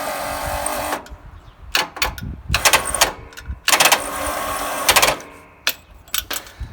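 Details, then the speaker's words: Briggs opposed-twin racing mower that died while driving with a puff of white smoke from the carburetor: about four short, high whirring bursts as the starter spins freely without turning the engine. The plastic starter gear teeth are stripped. "What you're hearing right there is that plastic starter gear has stripped out all of the teeth."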